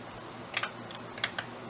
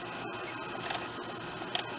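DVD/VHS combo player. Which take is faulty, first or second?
first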